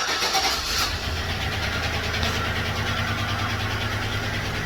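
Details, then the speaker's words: 2013 GMC Sierra 5.3L V8 at 198,000 miles idling unevenly with a stumbling, ticking lope from a stuck lifter on cylinder 6 whose valve is not opening, causing a misfire; lifters, camshaft, timing chain and oil pump are later replaced. "But it's got a stuck lifter, cylinder 6, so I'll let you see what it sounds like."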